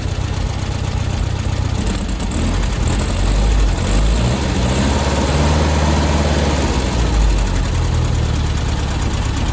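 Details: Old VW Beetle engine after idle adjustment on the carb, steady even low rumble, idling slightly high but smooth, no misses or knocks; flat spot on throttle still present but reduced; normal idle.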